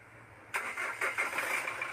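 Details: Hyundai Grand Starex D4CB CRDi diesel: starter churns steadily but the engine won't fire; long-cranking hard start, low power.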